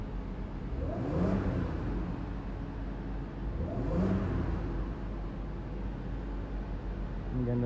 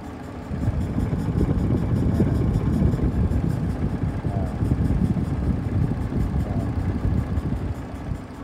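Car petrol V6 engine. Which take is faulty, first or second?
second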